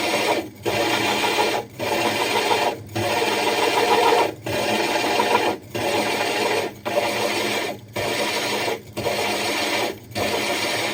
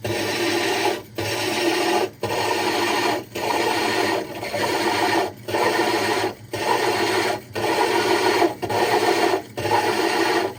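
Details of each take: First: Diamond hole saw drilling the glass of a 60 breeder aquarium: even rasping grind in roughly one-second bursts with short pauses as pressure is lifted and reapplied and drill power varied; normal steady, controlled cut. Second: Diamond hole saw drilling the glass of a 60 breeder aquarium, extra water added: steady gritty rasp with a short pause about once a second and a faint knocking that signals the bit is close to breaking through.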